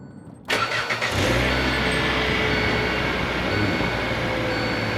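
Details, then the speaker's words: Kia Picanto petrol, roughly 2012–2017, cold start at about 3°C in damp cold: a brief crank, then it catches at once and settles into a smooth, even idle. A healthy cold start with no problem. "aucun problème donc la kia picanto essence aucun problème"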